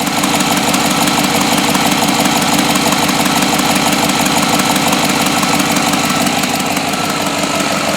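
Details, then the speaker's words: 2007 GMC Yukon 5.3 V8 after oil prime and first start: steady, even idle with no knocks, misses or surging; smooth and healthy. "is smooth as glass. It is so much better."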